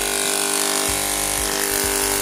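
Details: Hair clipper before repair: harsh, very loud steady buzz from electromagnetic coil whose mount broke loose from housing; fixed by gluing with superglue and baking soda, after which it is much quieter.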